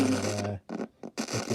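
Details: Roberts RSR50 battery radio (VHF FM, MW, LW, cassette) as the volume control is moved: sound breaks into scratchy crackling bursts and drops out entirely for moments; dirty volume potentiometer crackle, to be cleaned with switch cleaner.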